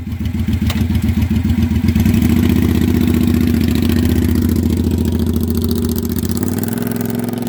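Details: Used 2012 Triumph America V-twin, about 20,000 km, with short "Cocktail Shaker" exhausts: loud, deep, even lope with steady firing pulses rising gently and settling back; runs smooth, just very loud exhaust.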